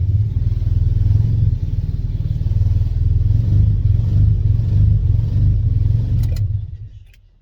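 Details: Turbo Miata just fitted with a new ECU, fuel pump primed: deep, uneven, lumpy idle with a stumbling beat that never settles, sounding like it's not firing on all cylinders; cause unconfirmed, old ECU to be retried.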